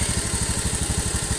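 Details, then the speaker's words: Honda Beat eco FI (K44) losing oil fast without white exhaust smoke: steady idle with a sharp light tick at the head, like a valve but not the valve, rougher as rpm rises; piston slap from worn piston and rings. "Nah, ciri-ciri piston sudah aus, kalau digas RPM tinggi, semakin tinggi mesin semakin kasar suaranya."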